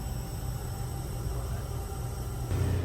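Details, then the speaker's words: Honda S2000 with 140,000 miles, leak-down test on cylinder number three: only a low dull rumble with no hiss of escaping air, cylinder sealed, unlike number one showing about 60% leakage. "That's number three. As you hear, it's quiet as can be."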